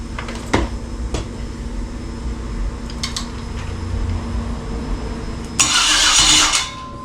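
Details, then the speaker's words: 2003 Yukon 5.3L LS on a stand for a swap into a 1994 C1500, fuel pump primed by a jumper wire: the starter spins briefly but the engine never fires. Owner suspects spark; an unconnected ground wire was found afterward. "yeah it's not firing off at all so it's got to be spark"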